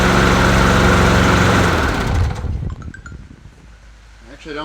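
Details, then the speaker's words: Bolens 22-inch push mower with 4.5 hp Quantum engine, a free non-runner cleaned up: small single-cylinder engine fires evenly at a steady idle for about two seconds, then shuts down; runs clean and smooth, though it still needs an oil change. "well it sounds good I think it definitely needs an oil change"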